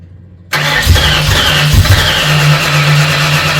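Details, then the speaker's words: Freshly built 302 Cleveland V8 with Holley Sniper and new electronic distributor, first start after long cranking: catches and settles into a steady, even hum with no misses or knocks; cam running, healthy start and idle. "Cam is running, engine sounds sweet. You beauty. There you go. Done. Success."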